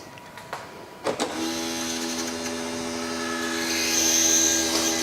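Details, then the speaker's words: BMW power tailgate (boot) after replacing the failed hydraulic pump and bleeding the air from the reservoir. On the first close test a couple of clicks lead into a steady whine that climbs slightly. Some air is likely still in the system and should bleed out; the boot closes. "Still sounds like there's some air in the system, which should bleed itself out, but it is closing."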